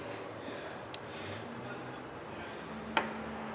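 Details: 2003 Chevrolet 1500 with P0446 EVAP vent performance code, key on, vent solenoid commanded by scan tool: two crisp single clicks seconds apart, valve closes and blocks airflow; vent solenoid working fine.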